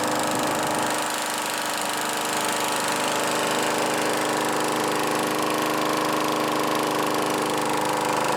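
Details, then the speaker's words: Craftsman Eager 1 mower 917.383241, final run after tightening hardware and new filter assembly; steady, even engine at constant speed, no knocks, misses or surging. Normal running. "this thing runs really good I don't know why they threw it away other than it being having oil all over it I cannot really find anything wrong with it it runs fine"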